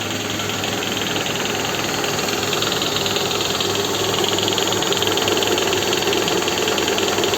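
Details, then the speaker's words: Toyota Estima, idling with accessory belt removed, listened at lower front near the pulley: fast uneven knocking about four per second; worn balance shafts, later restored. "здесь балансировочный вал и шумят вот послушайте"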